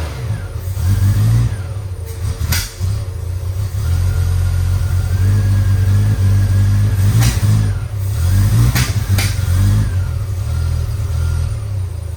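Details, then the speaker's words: 1972 Triumph TR6 that previously idled at 200–300 RPM and died: after setting timing to 2° BTDC, even deep engine note, clean blips, no knocking or clunking. Finding: normal running. "she's running on all four it's singing so let's play with the distrib"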